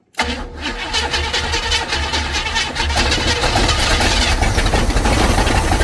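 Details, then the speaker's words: 1955 Buick Super on 1973 Electra frame, 455 big-block: engine cranks, catches briefly and stumbles without building revs despite priming carb and pushing fuel into pump to weep hole; not picking up fuel, so the fuel pump is failing. Fuel starvation. "Still not picking up fuel though. Try again. Prime it again. Try to fill this bowl up. Still not wanting to grab fuel."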